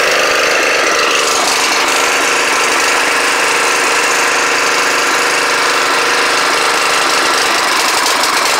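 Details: Snapper riding mower at first start in 4 years; small engine runs ragged and uneven, beat stumbling, running rough, cause not yet clear.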